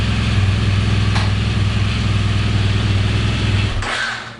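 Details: 2016 BMW R1200RS boxer twin at 60,000 miles, started during standard-scope checks after start-interlock test: smooth even low idle, steady beat, no knocks or misses, then shut down; normal idle.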